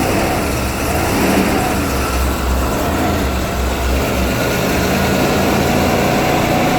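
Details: 1991 Ford E350 cutaway van, 5.8L V8 with in-tank and inline high-pressure fuel pumps, first start of the day at about minus 20: it catches and settles into a steady, rumbling idle with no stumbles or knocks, running normally.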